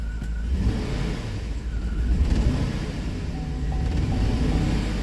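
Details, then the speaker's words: Chevy Tahoe V8 with P0300 misfire, after swapping parts during diagnosis; rough, uneven lumpy rumble that swells and sags, misfire still on cylinder 7 and now also on 5; spark plug suspected, not confirmed. "so let's see here we still got we still got issues on cylinder 7"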